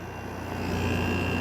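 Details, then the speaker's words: Made-in-China Kool King window air conditioner with a GMCC compressor, coil somewhat blocked, running after its full start-up stage; steady, even hum with a low drone, no knocks or rattles: normal running at low load. "This is what it sounds like when it's not really under a high load."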